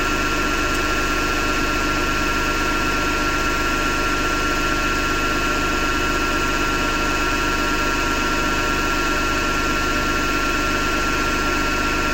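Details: Hotpoint Ariston FMD963 washing machine turning with continuous rough grinding over a steady hum; owner thinks it comes from the motor rather than the drum and plans to remove the belt to test.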